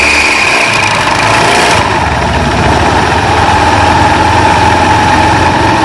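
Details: Honda Beat FI scooter whose CVT ran very rough and wouldn't drive because of a worn-out, broken belt, after repair: steady idle with a smooth, even drive whir as the rear wheel spins. Healthy CVT.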